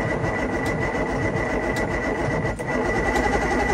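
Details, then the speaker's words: Free outboard boat motor, cranked in neutral with the flywheel spinning: fast, even cranking with regular chuffing and no firing, no smoke; normal cranking, sounds healthy. "That thing is turning over, and to me, it sounds pretty healthy."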